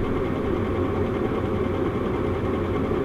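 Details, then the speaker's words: Atten PPS3205T-3S triple-output lab power supply: loud, rough clunking rumble from its variable-speed cooling fan, attributed to cheap fan bearings: noisy fan bearing. "the sound of the fan is incredibly annoying yes, it does have a variable speed fan which is great, but listen to it! Clunk, clunk, clunk."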